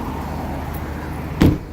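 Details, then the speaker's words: 2013 Ford Escape EcoBoost at cold idle below freezing: quiet steady low hum, no ticking or rattles, one nearby thump; started quickly and smoothly, normal cold idle. "Started up pretty quick. Definitely no startup ticks or noises or complaints."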